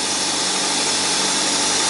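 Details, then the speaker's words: Toyota Corolla with its check engine light on, cold engine idling a little fast under a strong hiss during scanner readings; an oxygen sensor replacement was already authorized. "carro Tá frio né por isso que ela a rotação mais elevada ó"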